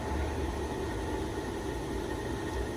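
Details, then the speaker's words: Delta Rockwell 5x10 toolmaker surface grinder 24-105, original paint, single-phase power, belt-driven spindle running: steady even hum with constant light tone, no rumble, knock or wobble; spindle operating very smoothly. "It's a belt driven spindle and it's operating very smoothly."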